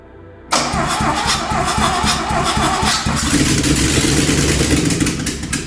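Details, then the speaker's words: DeLorean after an engine swap, first start with oil but no exhaust or coolant fitted. It fires on the first turn and settles into a loud, raw, unmuffled steady idle: healthy engine start. "oh yes first turn being happy yeah one of them yeah right maybe we should put the exhaust on now then and then we can maybe run it a bit longer"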